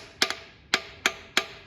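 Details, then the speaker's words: 1956 Chevy 265ci barn-find engine with the exhaust manifold off: tapping through a port gives four sharp, dead metallic taps with no springy rebound. This is the only stuck valve found, an intake valve stuck down; the engine was only rotated by hand. "that sounds like I'm hitting right on. So that valve's stuck down."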